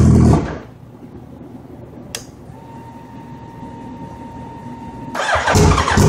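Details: Suzuki Hayabusa hard start: loud bursts of cranking separated by quiet gaps and it never catches; the owner reports fuel pressure drops while it cranks. Cause unclear.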